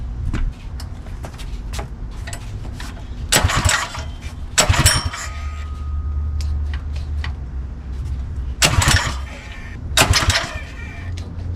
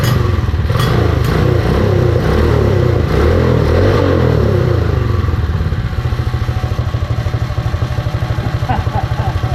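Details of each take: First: Predator 212 Mega Moto minibike engine just after installing CDI Performance ignition kit on a 12 V Milwaukee M12 battery: several sharp rasping recoil pulls with no catch or firing; engine turns over but won't start. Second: Predator 212 single-cylinder on a Mega Moto minibike after fitting a CDI performance ignition kit, battery-powered, belt off: small even thumps at a steady low idle with light clutch rattle on top; runs even and healthy.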